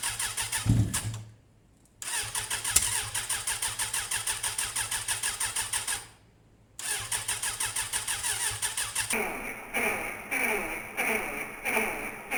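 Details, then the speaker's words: Motorcycle on start-up, two cranking attempts, then it catches with uneven pops and ragged firing instead of a clean idle. Backfiring, suspected to be a cylinder not sparking properly; cause unconfirmed. "I mean, the backfiring on that last one, I don't know what would cause that. You'd only get that if you was running on less cylinders really, or yeah, if something wasn't sparking properly."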